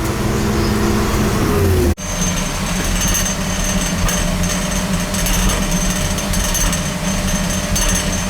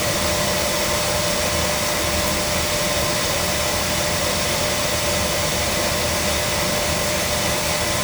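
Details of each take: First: Oil burner on an overhead oil line, overdue for service with a nozzle and filter due: a loud, rough, surging roar and clatter. It runs rough because it is starving for oil, and the filter is to be changed first. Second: Oil burner being serviced after surging and clanging, starving for oil, air bled from the pump: steady, even roar of flame and fan with no pulsing, puffing or rumble; burner firing cleanly, normal operation.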